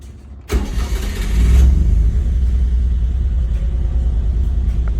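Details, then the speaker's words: 1991 Honda Acty Street G cold start at about 66°F, in neutral, fuel pump primes at key on: brief crank, catches at once, settles into an even steady idle with no smoke or misses; normal cold start. "No smoke. Hear the motor how good it sounds."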